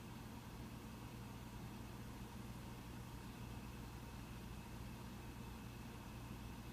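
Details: Mac Pro 1,1/2,1 with 32GB RAM running a multi-core benchmark, fans barely audible: low steady whoosh with faint hum, ramping up only slightly in the last half minute, still quite quiet; normal fan noise, system runs fine with 32GB.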